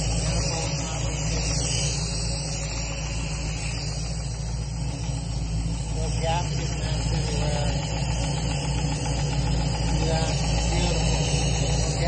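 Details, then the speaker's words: 1966 Mustang Fastback with new Ford Racing BOSS 347ci crate V8, warm idle with fan on, about 40 psi oil pressure: rough rumble with irregular knock, three to four a second; shop suspects internal, cause not found. "Except for that knock, they gotta figure that out. This thing idles beautifully. No exhaust leaks anywhere."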